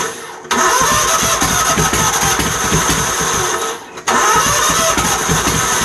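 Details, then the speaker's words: Troy-Bilt GTX 20 after new lapped valves and gaskets, gas poured into carburetor, weak starter: two long cranking bursts of rapid even chuffing that never catch; carburetor floods over, hard start. "I just put gas in it likes the flood over I got a carburetor kick common butt"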